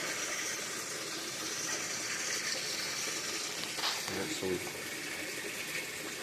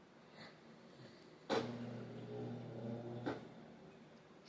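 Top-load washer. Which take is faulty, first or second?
second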